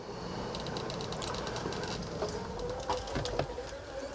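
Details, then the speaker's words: Coachmen Sportscoach 380MBS Class A diesel pusher (Freightliner XC) slide-out retracting, gummy grease found: labouring motor hum dragging lower with creaks and clunks, a real struggle; binding on a sagging flipper board, maybe not lubrication. "that was a real struggle but it made it so maybe the lubrication was not the [Music] problem"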